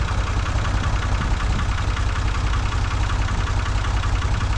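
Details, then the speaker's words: Tractor that sat for 3-4 years, with an overfull crankcase of unknown cause, driven out to test its new clutch with no seat or transmission top: a steady low chug with even firing, and the clutch seems to work. "it sounds like the clutch works. It lets off on the tractor, so I don't think he found a gear."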